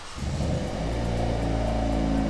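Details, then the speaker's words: Wrecked (not flooded) Hyundai Veloster N with a battery fitted: quick crank catches and settles into a steady, smooth idle with music playing over it; sounds pretty good, normal engine start. "yeah, it sounds pretty good."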